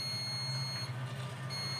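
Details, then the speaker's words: Prestige induction cooktop IGBT tested with a multimeter on continuity range: high continuity beep across all three pins shows the transistor dead shorted, which blows the fuse. "देखिए ये क्या आ रहा है? तीनों pin क्या है? बिल्कुल short short दिखा रहा है।"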